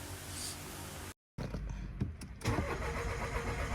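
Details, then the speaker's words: Mitsubishi Mirage G4 cranking long before starting ever since its fuel pump was replaced, yet an immediate restart catches on one click: the starter churns a while before the engine settles to idle; the suspected cause is fuel pressure bleeding back at the pump hose seal. "Ayan oh. Matagal matagal siya bago um-start."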